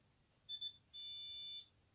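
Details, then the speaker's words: Older Indesit dishwasher started loaded with detergent: high double chirp then one longer steady beep, an error alarm after start; owner suspects it happens when loaded, and push-and-go isn't acknowledged. "yeah something's wrong with it I know it didn't do this earlier but I think it's when you do load stuff up"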